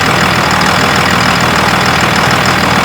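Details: 2001 Dodge Cummins 24-valve diesel with VP44 injection pump, after applying RTV to the belt to cure a squeak: steady diesel clatter at an even idle with no belt squeal; engine running normally.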